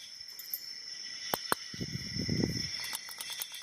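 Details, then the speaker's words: Shaking a Mako 45mm SFIC padlock gives small sharp metallic clicks and a rattle; the drive cam was installed without its spacer, which rattles loose inside, letting the key spin without operating. "So, the drive cam got installed without a spacer. You can actually hear that spacer rattle around in there."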